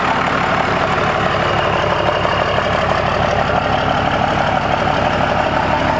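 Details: Compound-turbo 12-valve Cummins diesel idling: steady idle with a regular tick about three per second in time with the engine; soot seen rising around the exhaust manifold, suspected manifold leak, not confirmed.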